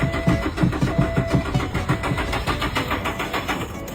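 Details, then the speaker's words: Used car that won't start, with the starter cranking at a little over one stroke per second and fading out without the engine ever catching: a crank no-start. "let's see this is the problem look it won't start now any idea"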